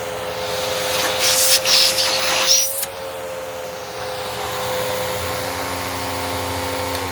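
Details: Curb-find Bissell PowerClean vacuum with clogged filters, suspected worn belt and possibly iffy bearings, during a hose test. Steady motor hum and rushing air; pitch shifts as the hose is blocked and released, then settles. Suction fine.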